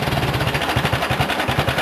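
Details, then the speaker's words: Farmall 140 tractor (1962 or 1974 model) at low idle, barely running: slow, loping chug with each firing pulse plainly separate, steady and even; normal slow idle. "also they both idle a lot different this is idle for this one we'll go ahead and shut it off this is Auto for this one but it'll run a lot"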